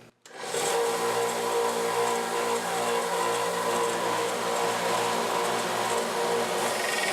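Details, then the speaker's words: Small belt sander connected to a shop-vac dust port: steady motor whine with a quick, even, loud tapping from a cheap, dull Harbor Freight sanding belt. "but when you hear it tapping really loud, I get these cheap sanding strips. This is from Harbor Freight."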